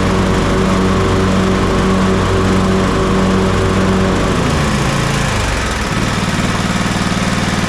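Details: Toro TimeCutter MX4200 74765 zero-turn, had smoked and died off choke; on fresh ethanol-free fuel with fuel lines refitted: single-cylinder engine runs steady and clean, then drops smoothly to lower speed without bogging or sputtering; earlier cause unknown.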